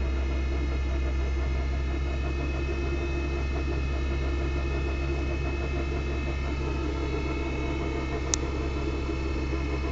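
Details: Audi 80 B4 2.0 90 hp with a CGT gearbox, driving through the gears: a deep drone, steady hum and faint knocks or rattle. It is quiet in 1st and starts in 2nd. The gearbox is damaged, cause unknown.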